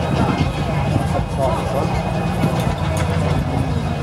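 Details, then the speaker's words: Briggs and Stratton 3 HP single-cylinder engine running on E10 petrol: uneven, lumpy chugging that never settles into a smooth rhythm, running rough, attributed to the E10 fuel. "Factory gun threatened the engine, it's running on E10. It's not running that well. That's what it sounds like when you're running on E10 on E10."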